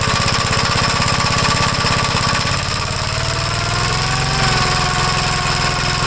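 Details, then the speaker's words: 1956 Gravely L single-cylinder engine, after reassembly with the air cleaner hose on and the carburetor readjusted: fast, lumpy thumping with slight speed drift; it runs somewhat better but still rough, and the owner suspects the valves and plans a top-end teardown. "well it's a little bit better I have a feeling something going on with the valves"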